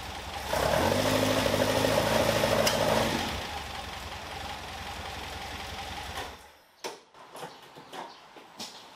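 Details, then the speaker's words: Caterham Super Seven carburetor engine after tappet clearance set to 0.55mm standard: lumpy, uneven low-rev running with a sharp pop spitting back through the carbs before dying away; backfire unchanged, tappets ruled out, lean low speed suspected. "No, it's not fixed. I thought it was a tappet. I adjusted the tappet. No change at all."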